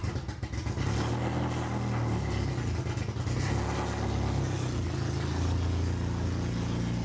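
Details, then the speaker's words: Honda H22 swapped into a Civic on a FuelTech FT450 ECU, just after first start with no exhaust fitted: deep, loud, uneven rumble with heavy low pulsing and no muffling. Engine running on open exhaust; idle to be adjusted later. "I'll probably adjust the idling a little bit later on, just get it running. It's super loud, so I won't start it again on camera."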